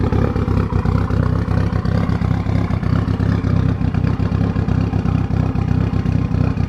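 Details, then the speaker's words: Freshly built Mitsubishi Evo 5 4-cylinder just after first start on AMSOIL high-zinc break-in oil, checked for leaks: loud, lumpy but even idle with nice cam chop, little vibration, no knocking or rattles; healthy fresh engine. "Sounds different. It's loud. Checking for leaks. It's not that vibrating. It's pretty loud, I'm not gonna lie."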